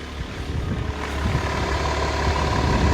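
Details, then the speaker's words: Mercedes S-Class W220 S320 CDI straight-six diesel, heard at idle. Soft, even low patter with no knocks or misses, very quiet and clean-running with no smoke seen. A normal idle. "Beautiful, straight inline 6. Fire it up. Lovely. Probably can't even hear that. It's that quiet. Lovely quiet engine."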